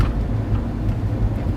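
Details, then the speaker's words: Used-car test drive on a bumpy road: steady low road rumble with no rattles or clunks, interior stays quiet; suspension sounds fine. "this car seems very nice there are no rattles no noise as the interior stays quiet where to go from so does the suspension and it all seems fine"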